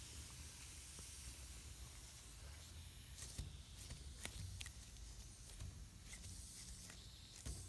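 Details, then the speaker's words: T50-26 brake booster, rebuilt elsewhere, on a test rig; vacuum gauge on the rear test port shows it not pulling enough vacuum, with a steady airy hiss over low pump rumble from a vacuum leak; hydraulic side appears OK. "right away were you doing it we're not pulling enough vacuum can you hear that vacuum leak"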